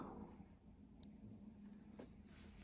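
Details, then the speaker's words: Camper fridge switched on with the power button: the compressor starts and settles into a faint, low, steady hum with no rattle or knock. Normal compressor start. "you can hear the compressor starting up now in the fridge."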